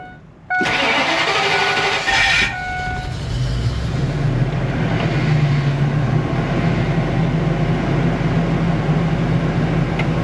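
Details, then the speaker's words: RV with what is believed to be a 6.8 V10 after fuel filter, ignition coil and ground replacement: cranks about two seconds, catches unevenly, unsteady low idle; usually started first crank, restarts fail; hard start, rough catch. "it started but it started weird but usually it would always start on the first crank"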